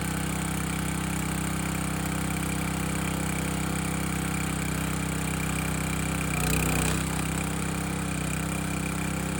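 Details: Landworks 20-ton log splitter engine splitting a dry 24–25 inch log; steady low drone holds speed through the split with a brief load swell midway; split easily, healthy governed engine, normal running under load.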